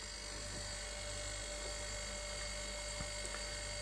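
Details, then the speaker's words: Ice maker motor wired straight to supply after finding no voltage at it: steady electric hum with constant high whine, no knocks; motor runs normally, suspected relay/switching fault not powering motor. "can hear it's running. Let's see if it stops again."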